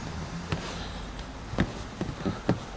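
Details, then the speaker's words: Lexus RX second generation on the road after fitting a VAZ 2101–2107 door seal around the dashboard, squeak caused by worn front dashboard locating pins: low road rumble, soft thumps over bumps, no dashboard squeak. "так вот значит резинку протянули по всему периметру теперь как видите и слышите что ничего больше не скрипит"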